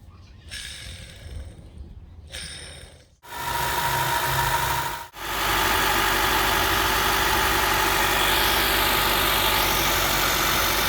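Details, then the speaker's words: Honda 2.4 four-cylinder (2013–2017 Accord/CR-V type) engine running, aftermarket belt tensioner pulley used about a year: steady whirring whine at constant pitch over the engine; worn tensioner pulley bearing, replaced with OEM tensioner. "so this aftermarket served it's used for about a year but it gave out pretty quickly in the bearing give it a listen there"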